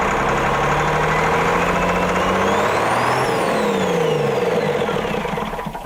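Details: Autosan H9 bus diesel after a long standstill, started from the rear switch on starting spray with the battery charger on: long steady cranking, the starter's whir rising and falling, before it catches and runs; hard start.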